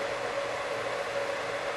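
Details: Heathkit SB200 amplifier (two 572 triodes) brought up on a variac after HV power supply rework with a soft-start module: smooth cooling fan airflow with a faint hum, no rattles. Fan spinning, filaments on, no smoke.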